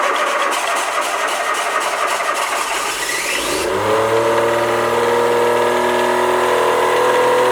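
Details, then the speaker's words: Kubota D722 three-cylinder diesel on a trawler, first firing on all three cylinders after fuel return line and injection pump work: cranks, catches and leaps straight to a high steady scream, never settling to idle; throttle left at full, runaway. "good way we got that throttle is on full throttle we'll try that again after the mild panic that was run away"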